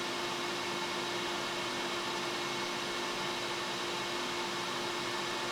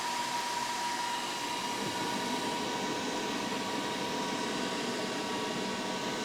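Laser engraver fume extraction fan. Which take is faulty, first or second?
second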